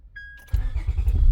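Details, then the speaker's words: 2004–2008 Acura TL after replacing a bad ignition switch that had caused a buzzing sound and several cranks before starting: a short chime, then the engine catches at once with no buzzing. Normal start. "Look at that. It starts up, no problem. No more buzzing sound."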